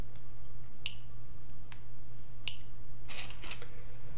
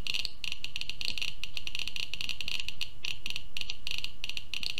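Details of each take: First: Geiger-Müller counter board with GM tube, 5 V, Arduino Uno and Nokia 5110 LCD; source just removed from tube, baseline ~40–50 CPM; few sharp random ticks seconds apart over steady low hum, normal background radiation count. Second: Rapid irregular clicks, roughly fifteen a second, stopping near the end, from a Geiger-Müller counter board with Arduino Uno, radioactive source near the tube; almost 900 counts per minute over a 15-second period.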